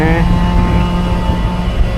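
A steady mid-pitched hum holds over the truck's engine rumble while pulling; the winch is making an unusual noise, cause unknown.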